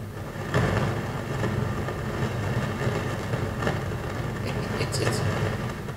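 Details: Pioneer SX-737 receiver on bench, phono/mic stage, left channel: loud steady rumble with crackly bursts; other inputs fine; caused by leaky preamp transistors that test good but leak.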